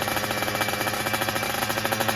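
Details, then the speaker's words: Kawasaki Ninja two-stroke fitted with a Super Cobra exhaust: fast crackling pulses at high revs, sharp and dry on the top end; running lean ("kering"), and forcing it will end in a tickling/pinging note. "Jadi teman-teman yang telinganya itu telinga motor 2 tak udah pasti tahu ini udah jelas kering ini. Dan kalau untuk kering ini kalau dipaksa nanti ujungnya bakalan seperti menggelitik lah istilahnya."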